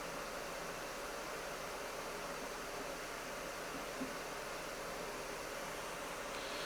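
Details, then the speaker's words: 2025 HP Omen Max 16 with RTX 5080 in max fans mode at 6000 RPM, about 56–57 dB with the GPU near 160 W under load: a steady, even airy rush with no rattle or pulsing. Normal full-speed fan noise. "so again, pretty typical, still about 56 to 57 decibels of fan noise here in the max fans mode."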